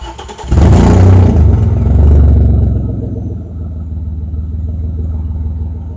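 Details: Audi A4 2.8 12V: heavy chuffing at start settling into deep rapid tractor-like puffing at idle; exhaust leak right after flex pipe, before the cat, leaving one bank open; later repaired.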